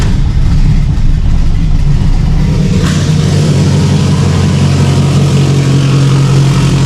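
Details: Subaru STI (1100+ whp build) fitted with a stock OEM EJ257 longblock, fully warmed up after a hard cold start; brief rev then smooth, steady, even idle with no knocks or ticks; normal warm idle.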